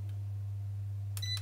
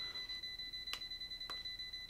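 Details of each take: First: ERGO FS 1677 fan after replacing the failed mains capacitor with a 0.3 µF 400 V part: steady low motor hum with one short electronic beep as the first speed engages; all three speeds work normally. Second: ERGO FS 1677 fan plugged in: brief jolt, then steady high-pitched electronic beeping several times a second, fan stops; only ran on speed 1. Undersized mains dropper capacitor starving the control board.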